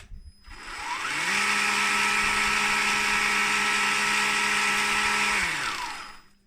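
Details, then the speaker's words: 1/14 SBB280 RC snowblower impeller motor after fitting a belt drive to cut speed and raise torque: spins up to a steady hum with a mild whine, winds down; quieter than the old direct drive. "for those of you who didn't like the whiny sound on the old one uh this is probably a lot better you can hear the sound"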